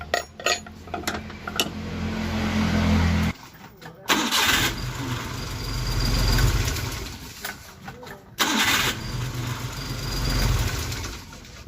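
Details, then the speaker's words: 1985 Daihatsu Hijet 1000 three-cylinder after valve adjustment (intake about 0.10, exhaust 0.15; previously too loose, causing ticking): fires up twice and settles into an even, quiet idle with no top-end ticking; sounds healthy with good power. "nah namun tadi ini suaranya sudah enak adem kemudian tenaganya dapet"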